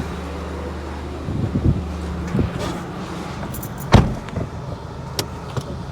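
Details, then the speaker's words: VW Polo after coilover install, driving: low road rumble with irregular knocks and scuffs every second or two; drop links too long, so the anti-roll bar rubs the thicker drive shaft on one side only; shorter links needed. "Those drop links right here are too long. So that um anti-roll bar is rubbing against the drive shaft as you can see here."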